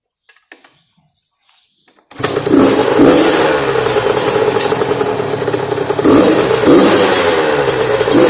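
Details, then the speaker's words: Yamaha YZ85 two-stroke after top-end and water-pump rebuild, mouse nest cleared from the plugged exhaust header, during break-in: after a pause it fires crisply and revs cleanly up and down with an even crackle; normal running. "got it all cleaned out and then I'll start it runs really good now just how it's supposed to run"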